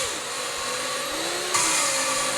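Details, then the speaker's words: Lapping valves on barn-find Ford 390 FE cylinder heads using a drill with grinding paste, light pressure, lifting every couple of seconds: steady drill whine with gritty hiss jumping up around 1.5 seconds as paste cuts the seat; lapping in progress. "can hear it cutting. But lift it every couple of seconds to let the valve grinding paste come back down."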